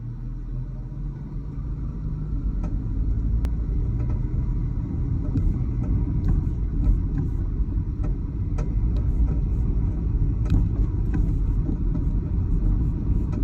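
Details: Dodge Challenger while driving, with heavy road rumble and scattered irregular knocks and clunks from the rear left; the source is unknown.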